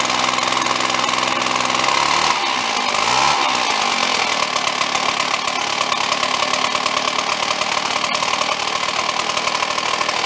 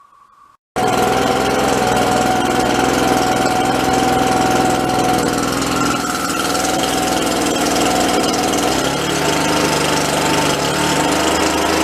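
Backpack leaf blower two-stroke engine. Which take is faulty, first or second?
first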